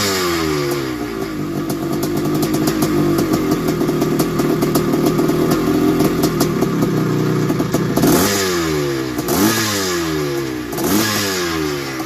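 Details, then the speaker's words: 1981 Suzuki RM465 two-stroke barn find, aftermarket boost bottle, first start after fuel down the plug: revs rise and fall with a loose metallic rattle over the crackle, mostly off throttle, heavy smoke; owner suspects it needs a top end and blown crank seals. "turn that off so no it sounds like it needs a top end or something sounds a bit rattly and it could even have a blown sure by the amount of smoke that was going out the back"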